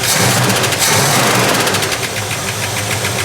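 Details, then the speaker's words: 1970 Plymouth Duster 340 V8 just revived after 30 years stored: light quick ticking about four per second over rough idle; suspected lifter or valve train noise, hoped to go away. "Now, we just need to tackle literally everything else and just cross our fingers that the valve train noise goes away."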